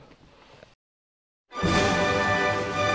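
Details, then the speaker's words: 12V battery backup sump pump: short steady buzzing hum as motor tries to start but never spins; failure could be bad pump, bad battery or charger. "if you heard that sound that was a sound of the pump trying to start but not starting so we've got a problem with what's going on"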